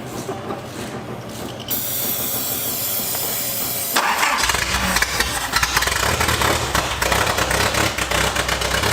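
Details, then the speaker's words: Datsun 620 truck at first start after sorting the distributor and coil wiring: a loud, raw, crackling bark with sharp pulses, with no exhaust fitted, just an open header. "this is super loud since we have like any of the exhaust hooked up it's literally just an open header"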